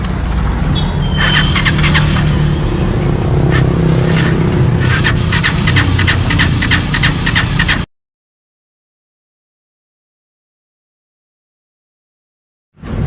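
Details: Motorcycle cranked after a borrowed spark plug was fitted: fast, even cranking churn for several seconds with no catch, then silence; no-start, weak stator suspected from poor spark, not confirmed.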